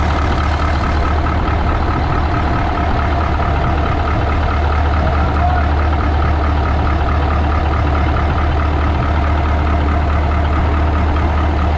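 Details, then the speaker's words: 1980 Peterbilt 359 EXHD with Caterpillar 3408 diesel, first start after sitting for years: deep, steady, even idle with no knocks or misses, 80 psi oil pressure; runs like a top. Normal idle. "Dude, it's got 80 pounds of oil pressure. Golly! She runs like a freaking top! That thing sounds good. It sounds good."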